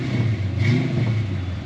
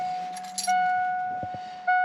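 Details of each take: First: 1988 Ford Mustang LX 306 V8 warmed to operating temperature: short, clean throttle blip with an even rumble rising without stumbling or popping. It runs rough and rich when cold. Normal revving. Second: 1988 Ford Mustang LX with 306 V8, cold start after a new oxygen sensor: several starter tries, then uneven hunting idle with sputters and popping back through the intake, running rich. Owner suspects a bad coolant temp sensor.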